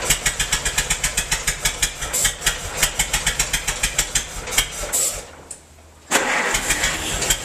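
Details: Massey-Harris 44 tractor stored about 10 years, new points: lumpy, uneven chuffing with gaps between pulses, stalls and catches again; cylinders 2 and 3 not firing, owner suspected stuck valves, plugs or wires; a stuck intake valve was found.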